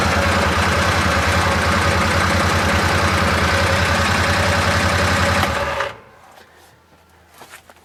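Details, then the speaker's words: Arctic Cat Prowler XTZ after wet clutch replacement, in neutral, parking brake on, blocked up: busy rough clattering pulsing about three times a second, then shutdown; primary CVT clutch not threaded onto damaged shaft splines. "don't think I like that this uh shaft and it wasn't going on apparently because the ends of these splines were just a little messed up and so this this internal part of the primary clutch wasn't threading over the end of the spline"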